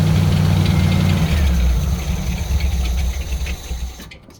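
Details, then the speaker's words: 1964 Chevrolet Suburban after running heavy-gauge wire from key switch bypassing GM wiring: catches and runs at a fairly steady low beat for several seconds before fading; starts and idles. "Let's give this thing a squirt and see if it'll come to life."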